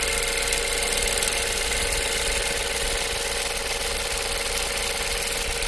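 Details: 2015 Ford Focus idling: light, fast ticking/clicking over a hissy top end; source not pinned down.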